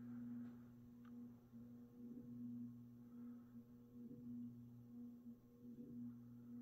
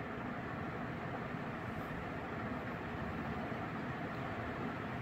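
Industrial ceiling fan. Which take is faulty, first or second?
first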